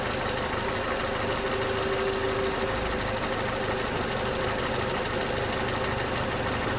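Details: 2011 Toyota Camry 2AR-FE with stalling issue, just after replacing lifters and rocker arms, idling; faint uneven light tick, also heard as revs drop off throttle, possibly lifters: engine ticking.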